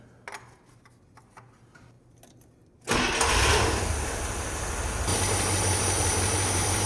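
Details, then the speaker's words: International Scout started warm on fresh oil, near the end of an 18-year revival; earlier starts had billowed smoke. Quick crank, it fires at once and settles into a smooth, steady idle with no knocks or misses: a normal warm start. "thing fires right up I Granted, it's warm, but fires right up. Purs like a kitten."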